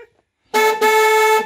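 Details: VW Golf 2 1.8 RP with one of two horns faulty and fuse blowing, after fitting a new horn: one firm blast, clear steady tone with a brief dip, then full strength; normal horn.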